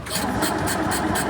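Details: Isetta single-cylinder engine, rust-bucket revival with fuel, air and spark confirmed: steady rhythmic cranking about four strokes a second, never catching; crank no start, owners suspect ignition points timing.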